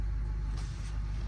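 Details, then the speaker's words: Car at a Copart auction yard, just started: deep, steady low rumble at warm-up idle with an even pulse and no knocks, ticks or misses, left to warm before revving. "we'll let that warm up a little before we throw any revs at it"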